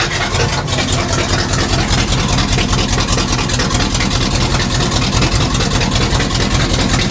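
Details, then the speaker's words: 1966 Chevrolet C10 V8 started with only a 4 ft section of 3-inch pipe fitted during a Flowmaster exhaust install: deep, even, throbbing idle, very loud and raw; engine runs steadily. Loud open exhaust at idle. "sounds pretty badass honestly it's way too loud but it sounds goodace yeah race car stuff"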